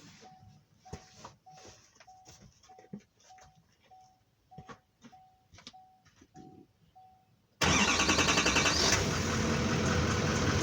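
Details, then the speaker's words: 2018 GMC Sierra 3500 L5P Duramax diesel right after fuel filter change, lift pump primed about 30 s: door chime ticks, engine fires instantly into a loud even idle, no misses or hunting, no leaks; in-tank pump running; normal start and idle. "We'll let the truck run for a few minutes. You can hear the pump running here in the tank. It's pretty loud, but you probably can't hear it over the rest of the truck."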